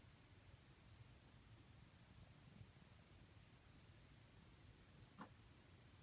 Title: LG 43UD79-B ticking noise